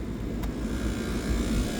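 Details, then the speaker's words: Lennox bar AC with a Y1 and Y2 call from the thermostat: steady low rumble and even airflow rush with no knocks or squeals, as both compressors and both condenser fan motors run normally. "That compressor's running. Both compressors are running."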